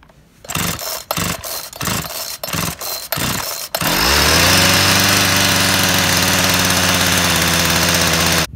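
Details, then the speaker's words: Chainsaw after fixing an unmetered air leak from a loose crankcase seal, on mixed oil-gas fuel: about seven pull-cord tugs, then it catches and screams steadily on choke at high revs; it runs, but the carburetor still needs adjusting. "started, but we need to take a look at some of the carburetor adjustments."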